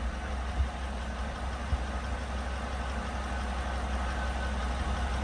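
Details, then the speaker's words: 2017 GMC Sierra, used 5.3 L83 just swapped in for a 5.3 LT with a dead no-compression number 3 cylinder: deep V8 idle, uneven beat with a stumble about every second; misfire. "But we're getting some misfires. I don't know if this motor had some bad coils on it."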